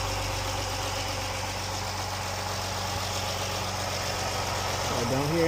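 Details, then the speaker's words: Jeep, warmed up after rocker arm and lifter repair for ticking: smooth, even idle with a steady low hum and no top-end tapping; healthy, fixed. "don't hear any ticking. Alright, this is how it sounds now. It's all warmed up."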